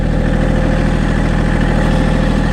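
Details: Massey Ferguson GC1723e sub-compact diesel tractor just started, settling into a steady, even low idle with a regular beat and nothing knocking; runs healthy.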